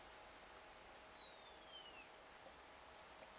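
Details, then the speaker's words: Homemade NTC thermistor cooling fan circuit for an amplifier at 19 V: as the thermistor cools, the MOSFET gate drifts near its roughly 5 V switching threshold, giving a high, thin chirp sweeping downward over about two seconds above a faint hiss. "tweeting which you can hear is the sound of the mfet just kind of like oh should I switch on not is kind of the Gate of the mfet kind of turning itself down sounds like there's a bird in my circuit with all this twittering and chirping"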